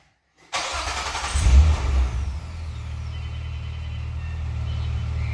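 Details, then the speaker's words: 2005 Nissan Maxima with a newly installed HPS short ram intake; it fires at once, revs with a deep intake roar, then drops to a smooth idle; owner says the exhaust is louder; normal start and rev. "It makes my exhaust louder because the airflow is more through the engine, as well as this intake sounds so nice."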